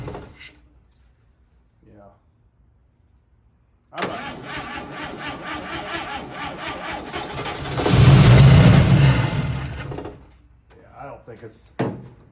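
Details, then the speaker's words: 1955 Chevy Two-Ten coupe parked 40 years, tried without the jump pack: starter cranks steadily about four turns a second, briefly picks up, never catches; cranks but won't start. Owner suspects no fuel being pulled, fuel pump not pumping. "I don't think it's pulling any fuel"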